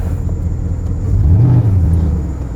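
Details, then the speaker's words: 2006 Porsche Cayenne S (955) 4.5L V8 after EVAP purge valve replacement (P0441); low smooth idle holding steady, no rise-and-fall pulsing that was present before the repair. "Look at that, and no more pulsing. That is definitely what was happening before. Now it's not. No pulsing."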